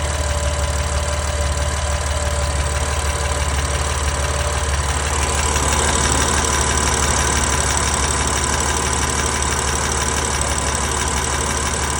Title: S55 Cold Start Ticking Noise